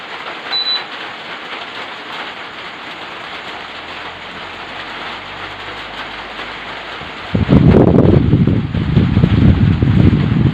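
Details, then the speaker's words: Ordinary electric fan converted to a remote-controlled digital fan with an added module, speed stepped up to the fastest setting; soft steady rushing hum growing louder and fuller, no rattle or scrape; fan running fine. "Saya tambah speednya ya, saya tambah lagi. Teman-teman ya, yang paling kenceng ya."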